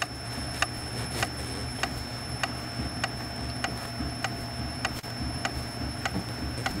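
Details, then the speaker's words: Citroën C4 Picasso while driving, microphone near rear; sharp regular ticks about a hundred a minute over road rumble from the rear body, stops when hand presses the panel; rattle from loose spot weld. "mas o barulho vem da parte traseira aqui"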